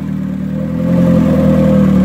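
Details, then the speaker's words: Turbo Hyundai Tiburon, being readied after work with a 50/50 coolant mix and no restrictor, with a Beta head fitted. Revs rise smoothly with a clean, even hum and no top-end ticking; the valvetrain is much quieter than with the Beta 1. "now the beta to have and the head sounds really quiet"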